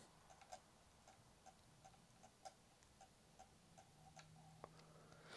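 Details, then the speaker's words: Sony PlayStation 2 disc drive with a mod chip said to kill DVD lasers: quiet steady light ticking about twice a second with a faint hum as it seeks repeatedly and fails to read the disc. "doesn't sound healthy though oh yeah unable to read disk"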